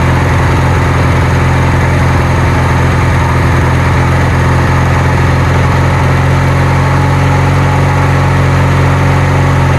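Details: Kohler Magnum 20 engine on a Wizard garden tractor after repairs, just started after priming and choke: low idle, slightly uneven at first, settling into a smooth steady beat without misses or knocks; running well.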